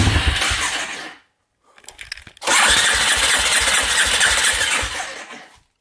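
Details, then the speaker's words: Polaris Predator 500 quad after finding debris in the gas tank, cleaning the carb, new petcock and fuel line: short run dies, weak chuffs, then catches into a rough, uneven run; it pops and won't idle well. "So the thing pops a little bit and I can't get it to idle great."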